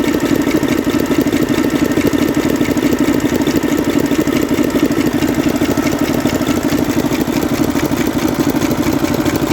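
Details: 2009 Mercedes Actros six-cylinder diesel at idle: sharp regular cracking taps about three a second from a seized rocker arm roller on cylinder three.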